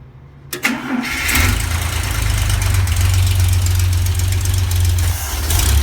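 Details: Rebuilt GMC 305 V6 on a run stand with stock GM mufflers and an expertly rebuilt carburetor: a quick crank, catches within a second, then a deep, steady, even burble with no misses. It purrs like a kitten.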